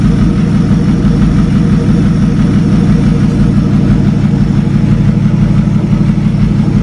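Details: 1937 Talbot saloon 3.2-litre six-cylinder, first run since 1976: steady, even low idle at roughly ninety beats a minute, no knocks or ticks; slightly smoky, oil pressure about 40 at idle, 50 with revs.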